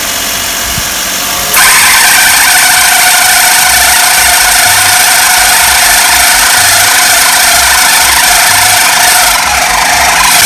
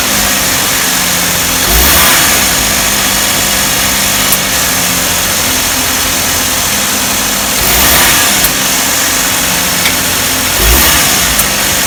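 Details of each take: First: Car engine idling before adjustment, with a very slack AC belt that sags when pinched. A steady high chattering rattle rides over the idle, probably from the AC magnetic clutch and belt area: loose AC belt noise. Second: Car engine running after the slack AC belt was re-tensioned tight, with light throttle blips. Steady running with no squeal or chirp from the belt; the noise near the AC magnetic clutch has stopped.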